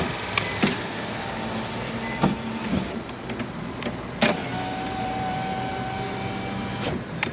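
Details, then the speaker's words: Nissan Versa after replacing the front window regulator, tested before refitting the door panel: steady even motor whine as the glass travels with a clean clunk at each end; the window works properly. "so now we can start sealing up the door since we have everything and we can check the door check the window make sure it's work before we put on the door panel"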